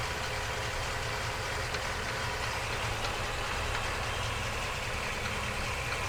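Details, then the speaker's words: Ford 7.3 F350 with 10-speed, about 2,500–2,600 miles, before its first oil change, mic under the truck: steady idle with a faint irregular knock, seemingly from the transmission rather than the engine; unconfirmed. "let me know if you can hear this knocking noise I don't know if it's coming from the engine or the trance"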